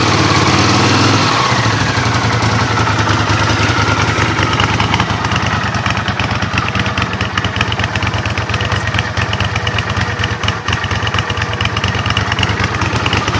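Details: Honda CX500 at idle: lumpy, uneven V-twin idle whose pulses stumble and don't keep an even beat; rough idle, cause not pinned down.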